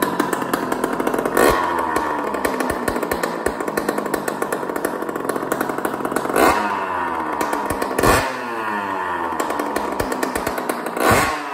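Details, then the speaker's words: 2001 Honda CR80 two-stroke, which was knocking from a loose motor and pipe, run with its screws tightened and the exhaust pipe off: loud raspy buzz with quick revs and no metallic rattle. The rattle is gone with the pipe removed, pointing to the pipe. "with that pipe off you know what I'm saying it's not rattling with the pipe off"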